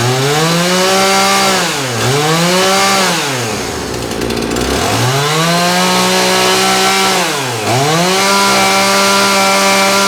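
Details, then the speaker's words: John Deere CS52 chainsaw run with its carburetor triggered manually because the plastic trigger is broken; crisp two-stroke buzz swings to full revs and back several times, even firing, no misses; normal two-stroke running. "This is a John Deere CS52. It is actually a very nice running saw."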